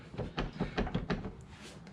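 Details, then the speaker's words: 2017 Honda Pioneer 1000-5 side-by-side, door shaken by hand: quick hollow clacks from play in the hinge joint, front and rear doors; worn factory door bushings, before replacement with aftermarket bushing kit. "you see that in the joint it just moves and it rattles and it's the same thing on the front"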